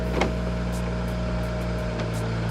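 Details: 2008 BMW 335i (E90), 158,000 miles, all windows being rolled down: a smooth, constant window-motor hum through the whole travel with no grinding, clicking or slowing. This power window works normally.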